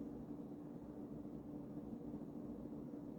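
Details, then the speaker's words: Early-1980s Emerson-built Sears 52" ceiling fan, KB-55 stack motor, running on high with a slight wobble despite balancing: steady even hum, soft mid tone, no knocking or rubbing; runs nicely, moves a lot of air. "it runs nicely moves a lot of air these KV 55s I think typically go pretty F pretty fast pretty high RPMs"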